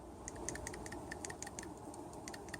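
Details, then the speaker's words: Ford BTR/DSI M93LE 4-speed automatic with intermittent limp mode when warm (code P0763, solenoid C): removed shift solenoid, cleaned after feeling gummed up, now gives light crisp, slightly uneven clicks as the plunger shuttles freely; not leaking, so it is reused. "can hear that one is clicking near so it has cleaned it up a little bit it's not leaking so I'm going to reuse this one"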